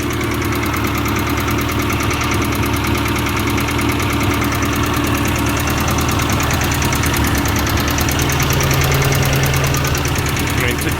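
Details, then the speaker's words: 1990 Ford Festiva after sitting, with engine flush, cleaned cam oil passages, new lash adjusters and rod bearings: fast light top-end tick at idle, louder with oil cap off, keeping time with engine speed; cause not found. "so definitely sounds like a top end tick to me and it does seem to get louder with the oil cap off"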